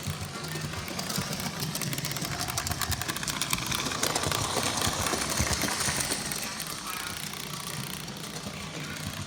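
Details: Lionel 8204 locomotive running: rapid uneven clicking, about four per second, over a steady whirring hiss; the cause is not identified.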